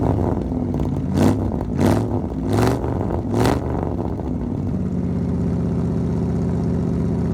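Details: 1975 Ford F-100 V8, parked 17 years, now running after a brand new 2100 carburetor replaced a rebuilt one that wouldn't run right; a few clean throttle blips, then a steady, even idle with no misses or knocks; normal idle and revving.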